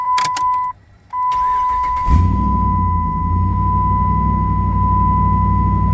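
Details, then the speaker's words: Dodge Ram 1500 HEMI with codes U1110/U1120, CAN bus loss killing speedometer, odometer and ABS: brief starter whir, catches at once, steady even idle under a constant chime; starts and runs normally. "When I crank it up, and it starts perfectly fine."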